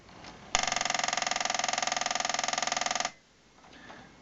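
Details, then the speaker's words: VCR/DVD combo unit, no tape inserted: harsh gear-grinding chatter three to four times a second as the loading mechanism tries to load a tape and can't reach its normal position, so it grinds. "what you're hearing sounds like a couple of gears grinding together and what's happening is this thing is is trying to load a tape even though there's no tape in it so the mechanism can't move in its normal operating position so it just sits there and grinds"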